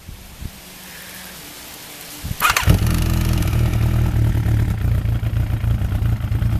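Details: Freshly rebuilt Thunderace engine restarted after an oil check, water leaks still present: quiet until the starter catches, then it fires and settles into an even tickover of about four pulses a second. Normal idle.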